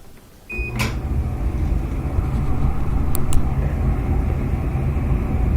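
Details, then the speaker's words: Maytag gas dryer that blew cold air, restarted after replacing a burned-out thermal fuse: a click, then the drum motor rises to a steady, even low rumble with no scraping or knocking; normal start. "alright so what should hear that click you get this power failure just press cancel power again normal start"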